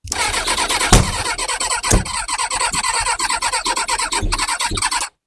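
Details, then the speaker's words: Kawasaki ZX6R G1 after carb cleaning, on a jump pack: ragged fast firing catches for about five seconds then cuts dead; spark confirmed, owner suspects it is running only on float-bowl fuel or is soaked with carb cleaner. "I was kind of hoping the carb clean would make it spark off little bit of backfire almost kind of starting but not [Music] quite there"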